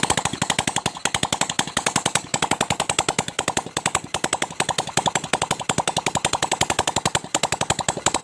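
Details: Supra 125 motorcycle, first start after its piston was replaced with a Kawasaki ZX 130cc piston and filled with Ultratech oil. The top end is left uncovered to watch oil flow. Quick, even exhaust pops with a crisp top-end clatter; it runs healthy.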